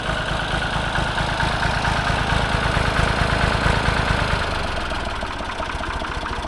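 Steady, even low chugging at idle with no knocks, misses or rattles; the old tractor engine is running healthy.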